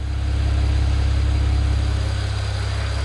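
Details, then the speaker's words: BMW E92 335i with swapped N54 engine (head off, valves reseated, head gasket done) idling after water pump fix, logging temps, no boost: steady even smooth hum, no misses or lope; rough idle now gone. "i don't think i showed you in the first video we no longer have a rough idle"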